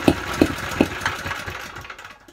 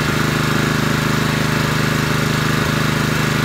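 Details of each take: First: Honda GX160 generator engine, cold start on choke with a 110 V drill plugged in: a few loud irregular thumps about every half second, then it sputters and hunts; rough running on cold start, carburetor suspected, cause not confirmed. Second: Honda GX160 5.5 kW generator after carburetor clean with blocked main jet cleared, power drill plugged in: engine ticks over smooth and even, holds steady as drill load comes on without stumbling; healthy under load.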